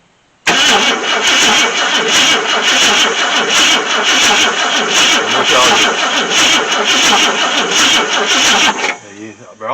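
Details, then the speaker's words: 1966 Ford Thunderbird, FE 390 engine, first start attempt in 13 years after cleaning contacts: starter spins the engine at an even, rapid chug for about eight seconds with compression heard but never catches; cranks without firing, spark suspected. "if you want to just crank it crank it not very pronounced if it is but really it keeps clicking i hear the compression"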